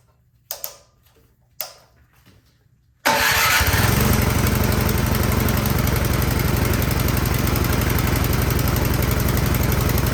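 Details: Troy-Bilt Storm 2410 snow blower that would not start (owner suspects stale gas clogged the carburetor), reassembled after carburetor cleaning, tank apparently topped up with new gas mixed with old, started unprimed with choke: two pulls, then it catches and settles into a steady, even putter. Healthy running.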